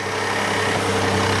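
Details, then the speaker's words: 2017 Kia Sedona 3.3L V6 just after engine replacement for a spun rod bearing knock, first start with instant oil pressure: even, steady idle with no power steering pump whine; running normally. "And I don't hear the power steering pump whining at all."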